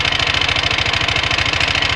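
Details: Odd noise from a Leo 250 small single-cylinder at idle: quick, even pulsing beat with a harsh rattly hiss over it; cause unclear, abnormal engine noise.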